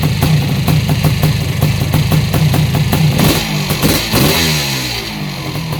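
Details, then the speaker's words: Yamaha YZ490 air-cooled two-stroke, first start after installing missing kickstart idle gear and clutch parts so it runs the right direction: crisp popping beat around three per second settling into steady clean idle; possibly slightly rich, burning excess oil. "sounds good man these uh these air cooled motors are sure noisy though listen to the top end of that thing it sounds like dynamite like it's gonna explode"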